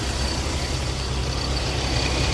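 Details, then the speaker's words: Infiniti G35/G37 VQ V6 with aftermarket lightweight crank pulley, at idle: steady idle with a coarse loud rumbling drone and rattle underneath; owner dislikes the noise and is replacing it with a damper-type pulley. "e mad loud I don't like it I know some people I don't know what oh learn from my mistakes man a lightweight pulley not it but we'll see if uh the other one is better than um the lightweight one you're supposed to be quiet as they say"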